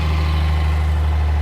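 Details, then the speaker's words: Vintage Mercedes gullwing, old fuel being flushed out after revival; one spark plug found wet and carboned up; afterwards a steady, even low idle with no misses or stumble. Normal idle. "Yeah, that one's carboned just up. Carboned up a bit. That sounds better."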